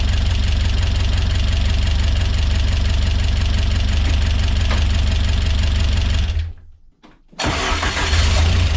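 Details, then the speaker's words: Rebuilt Peugeot 205 GTi Mi16 engine on first start: busy idle with fast, even top-end ticking about four a second, loud tappy noise; briefly stalls, catches, ticking returns; owner hopes it clears, cause unconfirmed. "Wow, really tappy that. That noise at all. Okay, that's really loud, isn't it?"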